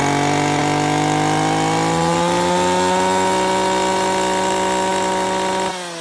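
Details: Stihl FS 250 R brush cutter after primer bulb replacement: strong steady two-stroke buzz climbing slightly in pitch, holding even before easing off; starts and runs cleanly.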